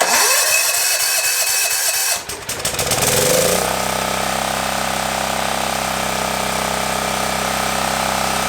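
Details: Generac 7000EXL 7000 W generator unused 10+ years, revived with fresh fuel, air filter and oil checked: after a rough catch settles into steady, even drone with no misses or knocks; normal running.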